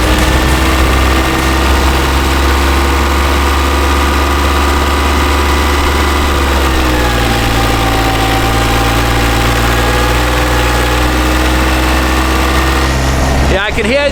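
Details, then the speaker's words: Marine boat diesel in Norway: steady drone sags in pitch, runs lower, then dies abruptly; won't hold 3000 rpm for long before stalling. Mechanic suspects air in the fuel system; gasket changes didn't help, will check from tank up. "it's just it wants to run but then you just can't as soon as we want to be at 3000 rpms for some time it just stops so we could have air in the system somewhere"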